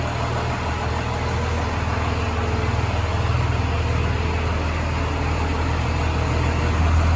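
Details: 1996 Chevrolet Suburban with a Cummins diesel swap, cold-started after the wait-to-start light, with slight smoke haze. Deep, even diesel clatter at about four beats a second, steady with no misses. Healthy cold idle.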